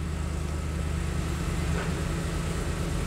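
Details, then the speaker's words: 2005 Ford F250 Super Duty 4x4, 6-speed manual, Triton 5.4 V8, idling in neutral with oil pressure after a starter replacement and oil change: smooth, even low rumble with steady firing and no knocks or ticks. Normal idle. "Everything looks good. Sounds good. Excellent work."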